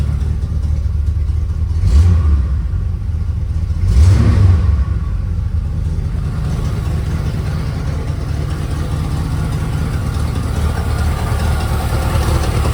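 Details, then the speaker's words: Classic V8 (1980 Corvette / 1983 Caprice) at steady idle with brief throttle blips after new remanufactured alternator fitted and repositioned; charging now, about 13.7 V at battery, no weird noises or smells — normal idle. "off everything looks all right no weird noises or smells that's always good"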